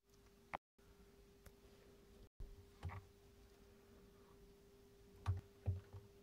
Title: PSU Makes strange crackling sound? =(